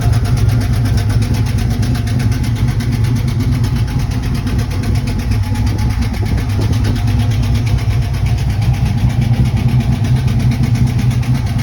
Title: Lifter Tick or Exhaust leak, not running the best